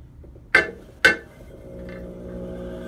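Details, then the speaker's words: Brent CXC K pottery wheel from about the 1970s, bat pins removed, at lowest speed: two sharp jumping clunks, then a steady hum. It is intermittent and fine once started. Belts are not slipping and a new pedal potentiometer changed nothing, so the owner suspects the motor. "all right this is my Brent CXC K from about the 70s and it's making a weird noise took out the bat pins so I know it's definitely not them this is what we do just at the lowest speed does this we're jumping thing doesn't always happen"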